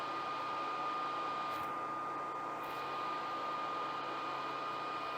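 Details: New cheap (under $50) aftermarket heater blower for an old truck, wired straight to a battery: steady even whoosh with constant mid-pitched motor tone, no rattle or wobble; blower running healthy.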